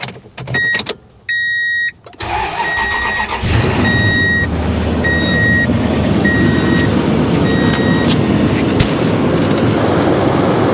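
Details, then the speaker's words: 2004 Toyota Tundra jump-started after a bad battery test: a few chimes, then cranks and catches into a steady idle with no alternator whine; alternator charging about 14 volts, charging system fine. "see the alternator is working fine putting out about 14 volts charging system in the truck seems to be working fine and alternator's not screaming or anything"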